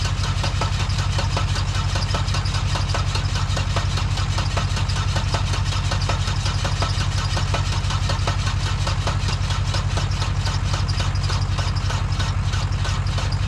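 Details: Dodge Caravan engine run on water instead of oil, third restart attempt with ether. The starter grinds at a steady, laboring two beats per second with no catch, getting slower and tighter the longer it is held.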